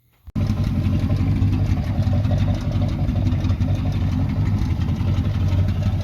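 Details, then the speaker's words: 1978 Chevy C10 305 V8 with the muffler cut off: a loud, raw, deep unmuffled rumble fires up and holds, later revved hard, with only a little smoke. "And then revved it to the moon and back, because you know, 305 with no exhaust sounds amazing."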